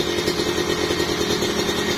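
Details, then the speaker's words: Kawasaki Ninja two-stroke after fitting a bored-out (OB) cylinder block, radiator water being filled while running: even, fast, solid idle with a steady buzz, no rattle or hunting, far smoother than the rough original block. "tinggal hidupin halus banget nih suaranya nih tuh caranya gitu ya jadi masukin air radiator itu sambil dihidupin halus banget tuh"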